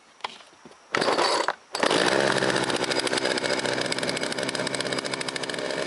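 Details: Two-stroke chainsaw running only on choke and dying down when taken off choke; owner suspects too little gas and a carb needing blowing out, and wants fresh fuel. After a couple of pulls it snarls to life with a ragged, uneven buzz.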